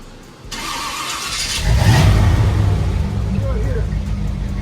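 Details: Car just after exhaust work at the muffler shop, leak fixed: engine catches and revs with a deep, throaty low exhaust note, no rasp or leak puffing; normal exhaust note.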